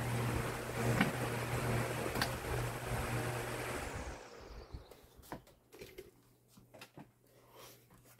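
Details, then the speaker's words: Lasko 1820 18-inch pedestal fan (2006), repaired after locked bearings; steady hum, then switch-off and long, quiet, smooth coast-down with no scraping or rattle, decent spin-down typical of older Lasko fans: normal fan spin-down. "and as usual with the older Alaska fans it has a decent spin down and that's the end of it"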